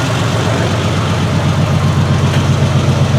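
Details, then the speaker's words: 1968 Triumph TR250 after first start-up tinkering: steady, even idle with a regular beat about four a second, no misses or stumbles; engine now running much smoother. "sounding uh much better after doing a little bit of tinkering around much smoother so uh so let's let it run for a little bit"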